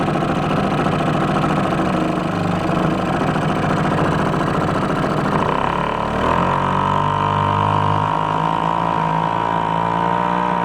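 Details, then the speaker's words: 1949 Atlas Royal 1.5 hp two-stroke outboard, an estate-sale barn find, on the lake for the first time after a few minutes' warm-up and an air-fuel mix adjustment: an even buzz that climbs smoothly and holds as the throttle opens; runs great for its age. "that was a blast that thing runs great uh very surprised for how old it is how well i"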